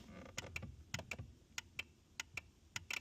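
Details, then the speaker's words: BMW Mini Cooper S R56 that failed MOT for no horn: crisp horn relay clicks in quick pairs, about ten in three seconds, as the horn push is pressed; relay switching normally. "And now if I press the horn, we should hear the relay going."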